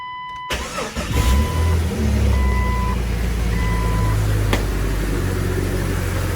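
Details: 2000 Jeep Cherokee XJ just after five-day engine replacement, first start: cranks briefly, fires cleanly and settles into steady, even idle with no knocks or misses; normal start and idle.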